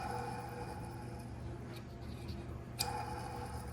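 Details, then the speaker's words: Monogram refrigerator condenser fan motor (WR60X10328) in the bottom refrigeration tray makes a steady hum with a rough ticking grind and whine, noisier at fast spin speed; worn motor being replaced. "The reason I'm replacing this, it makes this grinding noise. You're gonna hear it."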